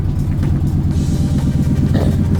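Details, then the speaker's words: 1997 Ford F250 5.4 V8 that sat 12 years, exhaust not fully hooked up, idles with a loud, raw, chuffing exhaust rumble from a leaking exhaust manifold. "you can hear the exhaust leak so this thing is extremely weird because there's a manifold leak"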